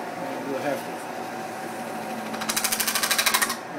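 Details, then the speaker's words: Pewter spinning on a lathe, tool pressing metal onto a form. Over the lathe hum, a brief rapid buzzing rattle as the tool chatters, leaving waviness on the edge: tool chatter. "And you hear that noise? Is that chatter? Got a little waviness out on the edge."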